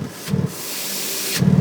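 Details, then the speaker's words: 2001 Toyota 4Runner at idle, engine not yet hot, tailpipe capped from under the truck: the puffs grow louder with a hissing rush. This shows an exhaust leak on the catalytic converter side, whose bolts must be ground off. "there's a loud hissing sound. So that means there's definitely a leak in the exhaust on the catalytic converter side."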